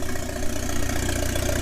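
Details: 1997 Mitsubishi Eclipse GSX 6-bolt swap, running on an open downpipe with the oil pressure sensor removed; loud, raspy unmuffled exhaust over an even, steady low idle pulse with no misses. Normal idle.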